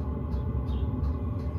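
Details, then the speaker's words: 5kW Chinese diesel heater in an underslung stainless box under a Mercedes Vario minibus, exhaust vapour visible, working up to full power: steady low roar with faint regular pump clicks about three a second. Normal operation. "it's working its way up to its full power"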